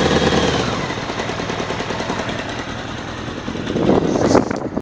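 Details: Honda CBR600F2 motorcycle four-cylinder makes an abnormal fast, uneven rattling knock over the engine note that rises with revs; the owner states it is not the cam chain tensioner.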